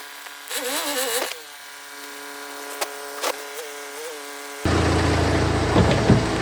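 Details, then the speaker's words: BMW 120d after clutch replacement and a switch from the dual-mass to a solid flywheel: diesel idles steady and takes a clean rev, then drives off; a bit of extra noise comes from the solid flywheel, otherwise healthy running. "You can hear a bit more noise. It's got solitaire flywheel in it."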